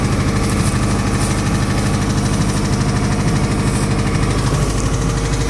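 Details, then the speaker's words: 1991 Honda Prelude beater that smokes more from the front than the back: uneven knocking at idle, about one or two beats a second, over rough running. Engine needs replacing; knock cause unknown. "this thing smokes more in the front than the back i don't know if you can hear but it's knocking like a [ __ ]"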